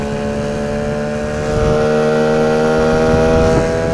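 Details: 9.8 outboard motor with a 'brake-like' whistle whose cause the owner is asking about. A steady high-pitched squeal rides on the running note and holds its pitch throughout: squeal under load, cause unknown.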